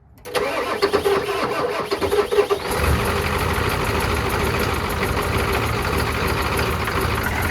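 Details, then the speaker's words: Old Ford turbo diesel truck, sat for years, started after glow plugs and bleeding: cranks briefly, catches and settles into a slightly uneven idle, running a little rough cold. "she's running a little rough cold it is cold"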